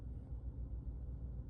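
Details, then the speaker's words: Chevrolet Trax Crossover idling smooth and even in D after warranty replacement of the driver-side transmission mount. Vibration measured about 1.3, versus 1.8 before and 2.0 after passenger-side engine mount replacement. The old 3-year mount rubber was hardened and burnt-looking from heat. "엔진 마운트 운전석을 교환했더니 진동이 100% 사라졌어요. 진짜로 장난입니다."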